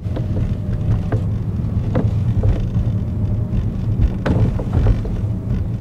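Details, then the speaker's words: Toyota, common fault: the sunroof clunks over rough roads or at higher speed; irregular dull clunks from overhead over road rumble, often mistaken for chassis noise. Loose sunroof bracket gap; the noise stops when the sunroof is opened slightly. "当我们走不平的路，或者是路面比较差的时候，或者速度快一点的时候，它就会有咯噔咯噔的声音。很多人以为这是底盘的声音，经过检查一番呢，发现天窗的问题。"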